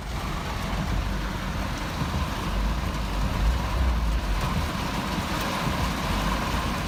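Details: 1985 Mercedes 190E hot engine idle: low uneven rumble surging and dipping moment to moment; rough idle, cause unknown.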